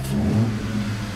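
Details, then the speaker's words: Engine started to hear the intake: a smooth, throaty rev that climbs and settles evenly with no knocks or misses; healthy intake note. "throatiness it took a little bit of the silentness out of it but it just adds a little bit of fullness to the engine bay and it's good"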